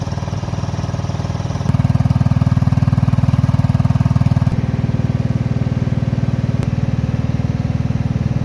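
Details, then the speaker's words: Cub Cadet Series 2000 riding mower, cold start after sitting 8 months, unloaded from trailer: small single-cylinder putters even and regular at about three beats a second, no misses or surging; normal smooth idle. "Okay guys, we've got it unloaded off the trailer there. It idles pretty smooth."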